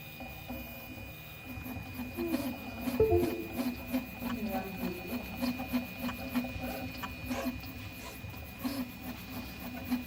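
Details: Prusa i3 MK3 3D printer printing with 3 perimeters, making a weird noise on movement during 2 of them: uneven warbling low buzz over a thin constant high whine; abnormal squeaking/buzzing during print head movement.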